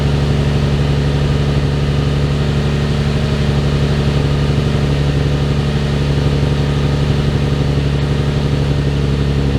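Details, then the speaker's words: Nissan 350Z with VQ engine, warmed up, after the sagging exhaust was redone and the Y-pipe flex pipes replaced: a smooth, steady low exhaust rumble with a clean rise on a light rev, no rattle, scrape or ticking. The noise heard before the repair is gone. "Give it a little goose. There's the VQ mark. Good, I don't hear it."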